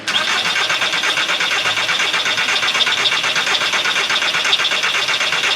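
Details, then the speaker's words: 2003 VW Bora, only 2000 miles, long-stored barn find, old battery: starter spins the engine at an even, steady pace but it never catches. Crank, no start; fuel pump suspected dead from old fuel, fuel not reaching the rail. "does that give a crank too yeah we'll see if the fuel pump works then no that's the issue I think the fuel pump is probably deed modern fuel"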